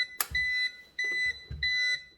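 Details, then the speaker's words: HDS hardware setup, printer just plugged in with no paper loaded: repeated high beeps about twice per second, each a third to half a second long, continuing constantly; out-of-paper alarm. "You hear that thing bleep? It's bleeping all the time now. It's because we haven't got any paper in it."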